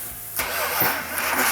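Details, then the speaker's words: 1971 Dodge Demon 340 V8 Six Pack 4-speed, numbers matching: first start after distributor install, brief crank then uneven lumpy catch and stumble; ignition timing too far advanced, fixed by rotating the distributor back to retard timing. "so when Mark says it's Advanced that means where the distributor is sitting at that time isn't right and the normal firing of the cylinders is Advanced too much"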